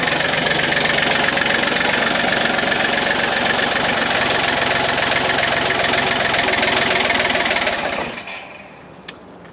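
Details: Takeuchi excavator diesel, partially parted out, unknown hours, started without the fan belt driving the water pump: rapid, hard, fairly regular clatter for about eight seconds, then shuts down; oil pickup later found lying in the oil pan.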